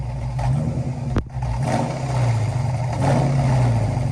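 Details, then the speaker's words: Dodge Challenger V8 with new exhaust and factory split tips, idle lowered after running about 200 rpm too high; deep steady burble through a throaty exhaust with one sharp knock early on; normal idle. "this thing sounds so much better you can really hear that tone from the factory challenger exhaust tips how they're split right in the middle"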